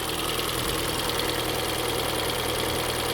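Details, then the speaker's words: Kia Soul just after engine and transmission reinstallation, still on its old oil and with no coolant: fires on the first crank and settles into a steady, smooth idle with no knocks, misses or smoke; a normal idle. "oh damn it's all right I mean that's that fired right on the first click well that sounds pretty good"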